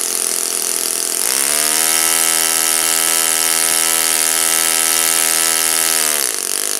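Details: Saito FA-56 four-stroke glow engine, first run after teardown, cleaning and bearing replacement; apparently moderate-time engine on 12x6 prop, OS F plug, 5% Omega fuel. Steady clean drone holding one pitch about five seconds, then easing off throttle; normal running.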